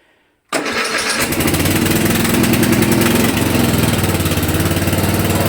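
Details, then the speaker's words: Hayter Heritage ride-on tractor mower, stored unrun for eight years, cold start on choke: catches almost instantly and settles into a steady, even beat about four per second; clean start, though it wouldn't shut off on the key. "so fire straight up fantastic wouldn't turn off on the key"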